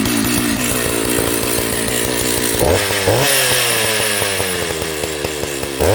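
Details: Jonsered 930 project chainsaw restarted, with a suspected loose spark plug connection: rough, uneven fast idle with surging revs that still holds running.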